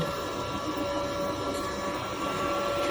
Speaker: After turn on this switch for the laser head, after turning it on, you can hear fan working to cooling the